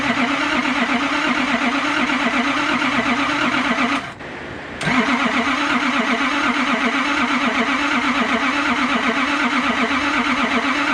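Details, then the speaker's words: Nissan Patrol RD28 diesel after cylinder head refit, very cold day, pump primed and glowed three to four times: long even cranking, pause, more cranking, never fires; crank no start, same as before. "alright guys so unfortunately the Rd does not want to run it's doing the exact same thing that it did last time when I wouldn't start"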